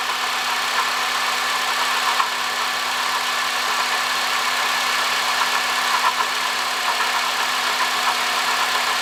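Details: 2005 Honda Odyssey (registered Nov 2005, 268,167 km, CVT) running: steady mid-pitched whine over a hissy, gritty background from a worn water pump bearing; replacing the water pump, thermostat, thermo switch and coolant cured the noise.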